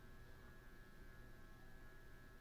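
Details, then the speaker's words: Vintage 1980s–90s Hampton Bay Southwind 38-inch downrod ceiling fan on a dimmer, running on low: quiet steady electrical motor hum with faint high tone; dimmer suspected of causing the hum, bearing problem suspected of slowing spin, slight wobble. "And here's low. Still hums. That's pretty bad."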